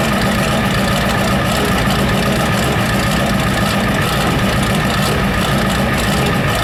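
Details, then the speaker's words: Ford 7.3 IDI diesel, first start after new injection pump installed and timed: hard, rapid clattering knock over a rough idle with white smoke; suspected fuel knock, maybe an injector stuck open, unconfirmed; injectors may need replacing. "Remember that knock the truck had? Yeah. Oh, it's doing that on this one. Probably a fuel knock."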